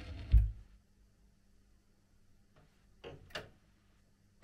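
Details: Record player that failed to start first try, now working: a few soft clicks and a light thump over faint low hum as the tone arm cycles; normal auto-return.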